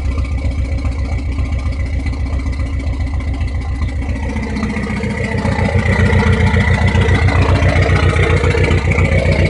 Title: Srt4 rough idle?